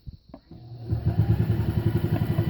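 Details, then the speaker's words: Singer sewing machine at medium speed with the foot pedal about halfway down; the motor spins up quickly into a steady chatter of about nine stitches per second; normal operation. "it's a good deal faster. And that's only slightly more pressure. Only slightly."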